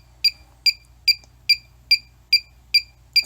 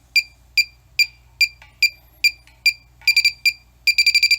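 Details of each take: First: Cheap halogen refrigerant leak detector (R22, 410A, 134a), set to sensitivity level 3 with no gas present: clean high chirp repeating evenly about two and a half times a second over silence; normal idle ticking, no gas detected. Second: Cheap halogen refrigerant leak detector (R22/R410A/R134a), no refrigerant released yet. Steady beeps about twice a second jump to rapid bursts when the tip touches steel: a false alarm, not a leak.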